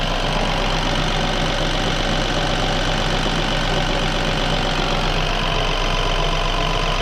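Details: BMW N13 (F20/F30) idle after replacing the rattling oil pump chain: steady, even idle with smooth hum, normal injector sound, and no rattle or tapping from the chain area.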